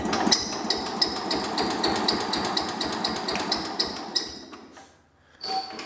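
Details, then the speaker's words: 1972 Homelite T10 garden tractor, engine previously smoking, mouse nest under flywheel cover, weak battery: slow labored cranking with a sharp high squeak each compression stroke, about three a second; blown head gasket, won't start, replaced afterwards. "That is the sound of a blown head gasket, that squeak. And it is not wanting to start."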